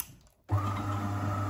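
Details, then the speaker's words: De'Longhi coffee machine that had metallic noises and a red triangle error, after repair of the brew unit drive shaft: motor starts with a smooth steady hum, no metallic clatter; normal brew unit operation. "and now after assembling you can hear uh the sound of uh perfectly working machine Delon so uh let's here H take an example you don't hear any metal uh sounds"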